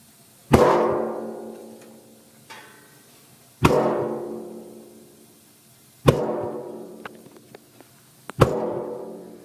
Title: Heater popping noise